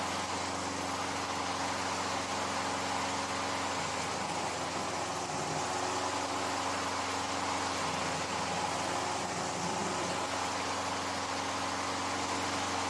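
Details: Older Craftsman 22-inch mower, Briggs & Stratton 6.75 Quantum L-head, sat for years, after carburetor rebuild: steady, even drone with no misses, knocks or surging; smooth, healthy run.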